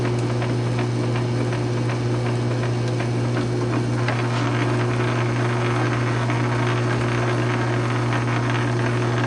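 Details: South Bend 9" lathe converted from Model B change-gear to Model A quick-change gearbox, during slow test thread cutting: even steady low hum from motor and gear train, light regular ticking, no grinding or knocking; normal gearbox operation.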